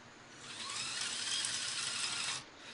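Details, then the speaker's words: Axial SCX-F250 RC crawler with dual motors and a steel driveline, powered up: a high gritty whir rises, holds about two seconds, then drops. There is a grinding noise in the transmission gearbox, possibly dirt; the cause is unclear and the owner doubts the gears will last. "Now I've noticed another reason why I think that these gears are not going to last very long is because already I have I hear a funny grinding noise inside of my transmission gearbox. I'm not sure what it is. It just sounds like maybe some dirt or something is in there."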